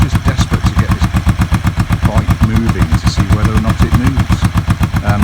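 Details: Kawasaki EN450 bobber twin idling while warming up after work: steady even thumping at about four beats a second, no knocks or misses; idling cleanly.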